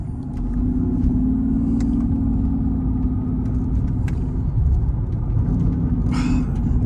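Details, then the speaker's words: 2005 Mercedes-Benz CL600 V12 accelerating uphill after fixing a misfire caused by a faulty voltage transformer: deep even drone builds smoothly with good power; previously ran on only six cylinders and couldn't climb this hill. "a nice moan not too aggressive good power and when it was only firing on six cylinders I couldn't even go up this hill right here"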